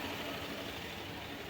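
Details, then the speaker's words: 2023/24 Fiat Cronos with CVT automatic and 53,817 km, warm after running several minutes on a lift: small petrol engine idles steadily and evenly with no knocks, ticks or whines; normal idle. "galera o carro já tá funcionando alguns minutos notem que está funcionando perfeitamente não tem nada ok motor funcionando bonitinho carrinho novinho pouco rodado"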